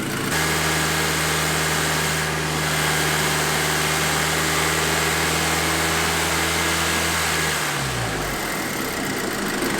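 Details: VW MkV GTI after leak repairs and coolant refill, started with heat on full to bleed the cooling system, expected slow start to prime the high pressure fuel pump: smooth, steady idle hum, no knocks or misses, then shuts off; normal idle.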